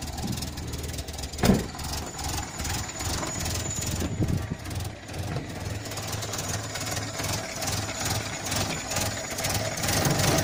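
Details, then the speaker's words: 1986 Renault Super 5 GTL 1.1 petrol, cold just after first start in months: a lumpy, uneven, fast rich-toned idle; owner thinks too much choke is set, to be pushed in after 2-3 minutes. "J'ai mis un peu trop de starter, je pense. Encore 2-3 minutes et puis on va pouvoir le retirer."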